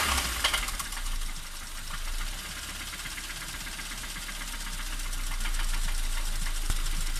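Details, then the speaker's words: Toyota Corolla II, 5E-FHE engine: a sharp, metallic ringing tick rides steadily over the idle at roughly three per second; a knock inside the engine whose source is not yet pinned down. "Короче, народ, вот так вот звенит наш двигатель."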